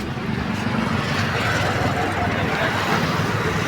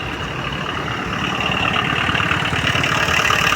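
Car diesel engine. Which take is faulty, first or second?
second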